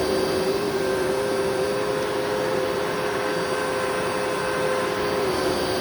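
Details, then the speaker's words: Eureka vacuum with self-cleaning duster, bought secondhand: steady high motor whine with a slightly uneven, rough edge and wavering tone; tired motor suspected of needing a refurb, unconfirmed. "But yeah, so that probably needs a motor refurb at some point, but I only paid, so the color tag was on sale yesterday, so I only paid like $18 for it, if I'm not mistaken."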